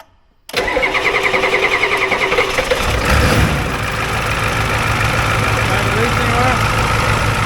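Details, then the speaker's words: 1994 Ford F-350 crew cab diesel, first start after injector and fuel lines were off, throttle held to the floor: the starter cranks about two and a half seconds before it catches and runs rough from air in the injector lines. "he's had all the injector lines and stuff off so it's gonna be angry yeah go ahead"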